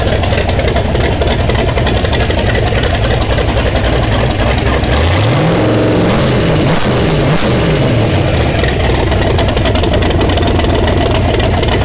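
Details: '30 Model A rat rod coupe on a temporary Edelbrock setup: it catches and settles into an even idle, then a few clean revs rise and fall smoothly. It cranks and runs healthily without loading up; the balancer timing mark is erratic (suspected slipped rubber).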